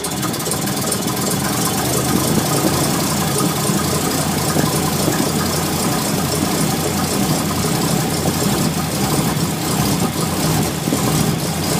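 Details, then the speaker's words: Ford Mustang with a persistent rough idle since first fired up, checked while setting timing with mark on cylinder one; low idle stumbles and lopes unevenly, beat wavering; rough idle. "and that's all it's been doing since Monday when I first got to fire up"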